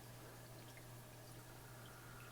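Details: Hang-on-back filter on a 40-gallon breeder aquarium, tested in a SeaChem Tidal 75 (noisy from new) versus Marineland Penguin Pro 375 comparison. Only a faint, steady low hum under a soft trickle of water, no rattle or grinding. Running quietly as it should.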